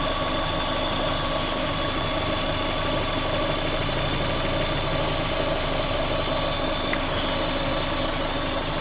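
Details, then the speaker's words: Vauxhall Corsa VXR with replaced engine, bogging on acceleration and engine light on, idling: constant high airy hiss over the top end; vacuum leak, found to be a cracked cam cover. "Definitely got a vacuum leak. Right, so I'll just spray it with brake cleaner."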